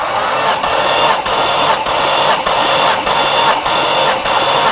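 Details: Cranking during a compression test on a car with a coolant leak: steady, evenly spaced pulses around a hundred a minute, none weak or skipped; cylinders reading 180–190, healthy compression.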